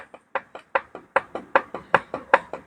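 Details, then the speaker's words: Isuzu D-Max 4JK1 second-generation diesel opened up, crank turned by hand: sharp metallic clacks about five times a second as the rod rocks, too much play pointing to a worn connecting rod bearing or main bearing. "ah ketat jadi bermakna ada masalah di conrot bearing ataupun main bearing"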